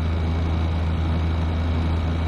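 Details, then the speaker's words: PTAC unit with a cracked, unbalanced fan blade, cooling: a steady low droning hum with a buzzy shake under the airflow; the fan vibrates on its flimsy plastic mounting, loose mounting blamed. "Oh yeah, nice cool air. Look at that thing vibrating though, man."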